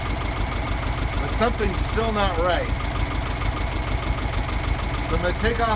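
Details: VW Beetle during carburetor work: low idle with an uneven, lumpy beat, roughly two pulses a second that never settle; rough idle.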